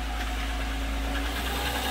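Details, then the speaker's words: Toyota Sienna at idle after alternator replacement and oil change, charging verified at 14.36 V: steady idle with a busy, even clatter on top from noisy timing chains. "that's a clattery motor boy [Music] chains were noisy in this thing"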